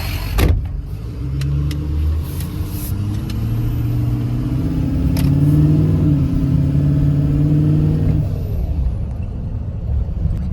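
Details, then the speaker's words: Ford Excursion diesel after head stud job, only about 3 feet of exhaust fitted: revs and settles at idle with faint high whistle rising and falling with throttle; normal turbo whistle. "So let's see how it idles. Hear the whistle."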